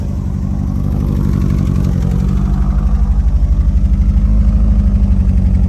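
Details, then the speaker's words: Carbureted 1987 Honda Accord after long struggles to get it running, idle turned up: steady, even idle with a smooth low beat and no misses or knocks, now sounding like a normal car. "I turned it up. It's running really well. That sounds like a normal car! It does!"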